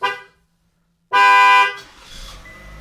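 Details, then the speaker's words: 2018–2024 Chevy Equinox opened with the emergency key because the key fob battery is dead. A short chirp, a pause, then a loud horn blast: the security alarm triggered, and starting the vehicle turns it off. "The alarm just started going off, but as you see, once the vehicle starts, it will turn the alarm off."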